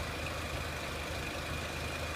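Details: 2003 Renault Clio 1.6 petrol, intermittent stalling traced to loose crank sensor connector (sensor good), analog crank sensor being scope-tested; steady even idle, smooth low hum with faint constant high tone, no knocks or misses; normal idle.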